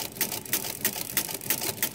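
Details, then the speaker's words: Repaired Marchant XL mechanical pinwheel calculator, crank turned forward and backward: crisp regular clatter about three per second, counter runs both ways and tens carry works (except first counter position). Normal crank operation with tens carry working. "turn this crank my counter goes forward backwards my counter goes backwards"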